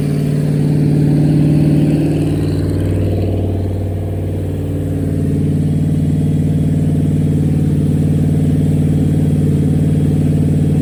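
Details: Rebuilt small-block Chevy V8 on a motor stand during its second break-in, after the lifters were pulled and the cam inspected: it holds a steady fast idle after a brief settle, with an even low drone and no ticking or knocking; runs healthy.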